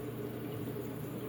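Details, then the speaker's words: Samsung WF448APP/XAC front-load washer after steam valve hose assembly (DC97-12578C) replacement: soft even trickle of water filling the drum with faint gurgles, no drips or leak hiss; normal fill, not a drop leaking. "can hear the water filling. But yeah, we're checking for leaks right now. There's not a single drop."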